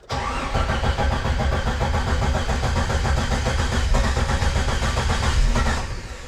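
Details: 1998 Jeep Wrangler after engine install, no oil pressure shown yet, about 11 volts, crossed plug wire also suspected: engine fires lumpy and uneven, stumbling irregularly before fading; rough running from faulty crankshaft position sensor.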